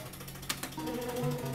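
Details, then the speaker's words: Bar-X slot machine paying out credits: rapid steady tapping from the meter counters in the bottom under the machine's hum; normal counter operation, just noisy. "I don't know if you can hear it tapping away, but it's just bloody nuisance"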